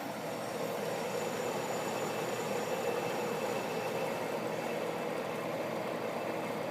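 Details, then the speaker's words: Vintage Sears Coldspot Thirty dehumidifier, about 40 years old, basement, just started via humidistat: low steady hum with even whirr, no rattles or knocks; compressor running normally and unbelievably quiet. "and like I said this thing is unbelievably quiet"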